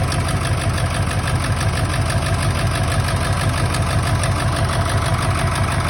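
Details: 1999 Ford F-350 7.3 Powerstroke diesel at idle, still running rough: lumpy stumble about three times a second, suggesting one cylinder not firing; injectors unplugged and oil outlets checked, one showing no oil; owner suspects an injector, harness to be ohmed.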